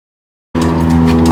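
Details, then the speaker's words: 1989 Yamaha YZ250 two-stroke just after engine rebuild and reinstall; fires from silence and holds a high, steady buzzing rev with no hand on throttle, a runaway high idle; owner suspects air leak or carburetor, not confirmed. "I started it and it's been just like starting at a hard RPM. So I'm looking for like an air leak or something."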